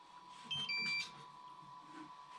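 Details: DJI FPV controller, not bound to a quad: two quick electronic warning beeps, a double beep the owner had never heard, indicating the sticks need calibration.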